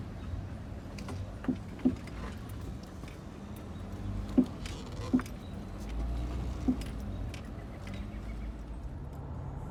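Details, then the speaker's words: 2012 Dodge Grand Caravan pulling into the driveway at low speed: several sharp, irregular clunks over a low rumble; failed Monroe front strut mount, later replaced with Moog strut assemblies. "And the noise that you heard at the beginning of the video of me pulling in my driveway was in fact another bad Monroe strut."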